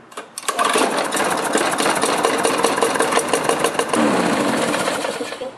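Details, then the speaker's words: Lawnmower starting: rattly, clattering knock at start-up and uneven running without speeding up properly, caused by a partly sheared flywheel key; key then replaced. "So surprisingly this one still runs because the flywheel key is not shared that badly. But you can notice a bit of knocking when I first start it up. And you can also notice that it's not speeding up as well as it should."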